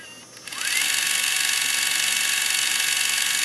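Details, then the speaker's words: Sony HVR-M10U HDV recorder tape mechanism in fast forward: harsh, hissy, high-pitched grinding from a damaged take-up (receiving) gear; rewind is smooth. "you can hear the grinding noise, so to speak. And if we fast backward, it's smooth. Okay, so there is a gear that's at fault."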